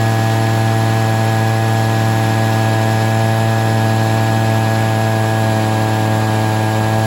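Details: Stihl SH 55 handheld blower/vac after a tune-up and carburetor adjustment: steady, even two-stroke drone with a clean, constant pitch and no misses or surging; normal running.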